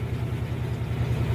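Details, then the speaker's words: Electrolux Jet Clean 16 kg washer in spin after fix: steady low even drone, no banging; the loud spin noise was a loose leveling foot, cured by turning and tightening it. "Às vezes aqui ó pezinho AF frocha ó tu vem aqui gira o pé ó se precisar aí você dá uma levantadinha aí apertou o pé ó máquina batendo normal"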